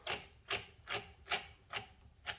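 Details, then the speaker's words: 2011 Ford Transit Connect axle support (carrier) bearing, removed and turned by hand: gritty, dry rasping in short strokes, so stiff it can barely be turned with a finger; rough, binding bearing needing replacement. "As you can hear, it's horrible. I can barely turn it with my finger, it's so stiff."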